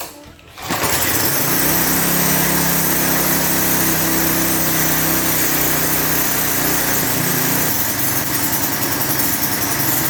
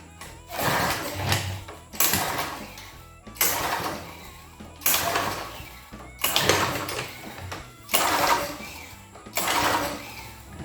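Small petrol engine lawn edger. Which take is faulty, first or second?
second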